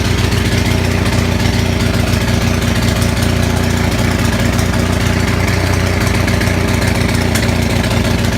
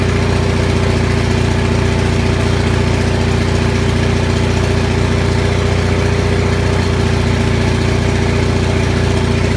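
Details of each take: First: Onan 6500 (6.5 kW) commercial gas generator running with a horrible misfire, uneven stumbling beat with popping, jumping and shaking, muffler missing; spark present throughout, cause found as a severely fouled spark plug. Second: Onan 6500 gas commercial 6.5 kW generator, muffler missing, running fairly steadily with an even low hum and slight unevenness after severely fouled spark plugs were cleaned; it had been popping, backfiring and shaking badly, and the voltage still jumps a bit.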